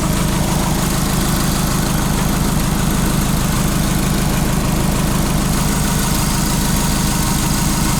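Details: VW Beetle fitted with a Subaru EJ20 engine (believed from a 1999-2003 Legacy) at idle after a £20 PCV fix restored oil pressure to over 14 psi: steady, even low burble with regular beat, no knocks or ticks; healthy.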